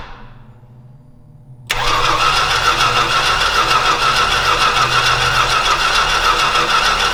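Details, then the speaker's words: Old Stewart & Stevenson aircraft tug: quiet cranking, then the engine fires and runs at a fairly steady fast beat; it later stalls, not heard here. The owner notes it seemed to like a little fuel and plans to check a plug for wetness. "well okay it ran a little bit I mean it ran a little bit so I don't know what I'm doing wrong"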